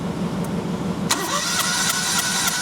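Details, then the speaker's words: 2006 Perodua Kancil (carburettor) with a reported sluggishness issue, compression test on cylinder 1. The cranking beat is even with no hiss and the gauge reads 125 PSI: no valve, head gasket, ring or piston leakage, so cranking compression is normal. "Okey, kalau kita tengok kat sini bacaan dia 125 PSI. Bermakna memang ada pressure dan tak ada masalah kebocoran daripada valve ke, daripada head gasket ke, daripada piston ring ke, daripada piston berlubang ke, tak ada. Bermakna ni adalah condition okey, normal untuk kereta ni."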